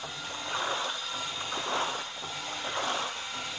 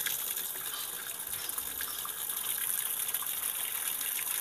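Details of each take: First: Sanyo washing machine: water has stopped running in and the tub swishes back and forth in an even rhythm about once a second; washing proceeds normally, the earlier non-stop fill blamed on a damp, damaged pressure float. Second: Sanyo washing machine with no clock display: steady hiss of water pouring in with no pause or cutoff, tub nearly full yet it neither washes nor stops filling.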